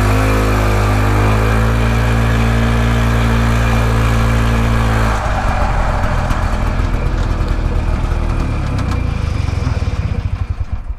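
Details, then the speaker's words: Harley golf cart engine after retiming, which previously ran faster in reverse than forward: steady even hum then looser chugging as speed drops; runs much better, about equal forward and reverse; belt may slip from clutch oil, carb leaks fuel. "so i would say this is a success definitely runs a lot better than it did before"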